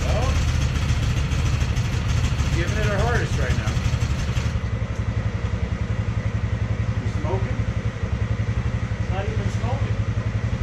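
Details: Polaris Sportsman 600 with almost no compression: uneven, labouring chug three to four beats a second that never settles into a clean run; weak compression prevents proper firing, hard starting.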